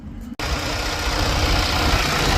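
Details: Freightliner Cascadia with DD15 diesel after a no-start from gelled fuel and dead batteries: fuel filters replaced, additive added, jump-started; it catches and settles into a steady, even diesel clatter and rumble with no misses or knocks, idling cleanly.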